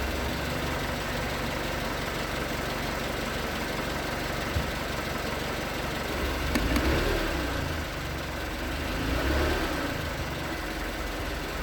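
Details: 2019 Hyundai Tucson 2.0L GDI Nu, 24,000 miles, on Mobil1 5W-20 with a NAPA filter under 1,500 miles old: hollow knock, about four per second, under the hum at cold idle. Owner suspects piston slap; switching to 5W-30 only slightly improved it.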